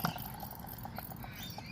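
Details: Alternator removed from a Mercedes-Benz W124 300CE-24, turned by hand on the bench: faint, thin, uneven dry chirps and squeaks from inside; worn bearings and likely worn brushes suspected.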